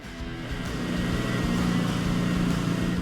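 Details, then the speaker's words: Aston Martin Vanquish V12, auction car being diagnosed, started in neutral: smooth, even note rising slightly with revs, all 12 cylinders firing, no misfire; both exhaust sides warm, engine now running correctly. "and oh wow hey that sounds a lot better P like a kitten woo that sound of that 12 cylinder are rolling um beautiful sounds beautiful W you could hear both all 12 hitting"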